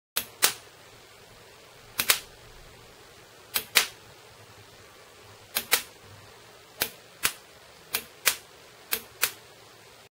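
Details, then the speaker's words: Bosch VP30 diesel pump fuel quantity solenoid wired directly to a 12 V battery with no load, with the wire getting hot. Sharp, dry, irregular clicks, and it responds much faster than with the bulb load. Normal solenoid actuation. "but without load we hear that the solenoid responds is much faster"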